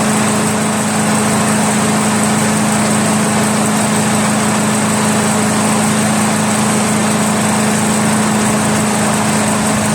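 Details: Craftsman chipper shredder flathead engine, restarted to confirm it works after head removal, carbon cleanup and a 320-grit sandpaper valve-seat job, idles with a constant, steady buzzing hum and no misses or knocks; normal idle.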